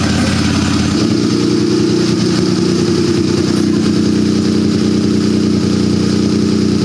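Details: Turbocharged buggy with an AEM CD-7 dash, ice-cold engine, after fuel level smoothing was set to maximum lag factor. The engine catches and settles into a steady, even idle without dying or hunting; a clean cold start.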